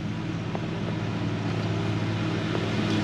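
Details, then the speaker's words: Toyota Sienna with over 200,000 miles, just after an oil change with 5W30: smooth, quiet, even idle with a soft steady hum, no ticking or knocking; oil pressure came up quickly, no bad noises. "The engine isn't making any bad noises. It does have oil pressure, and it came up pretty quickly."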